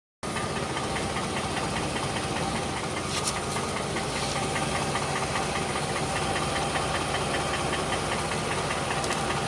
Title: V6 engine knocking sound(2)